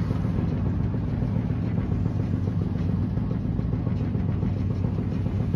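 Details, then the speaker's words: 2016 Maytag Bravos XL dryer (MEDB835DW3), trash-picked, running empty: a steady low tumbling rumble with a faint, uneven knock three or four times a second. Airflow reads good; the knock's source is unidentified. "so yeah it it makes noise it's got kind of a knocking noise it's got a little knocking noise to"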